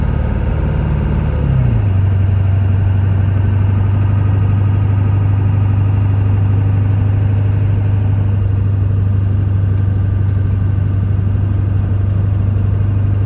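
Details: 1999 Ford F-350 SuperDuty 7.3 Powerstroke diesel dually, 88k miles, fully serviced, automatic pulling uphill: pitch drops cleanly at the shift, then a steady drone with no flaring revs. Transmission not slipping.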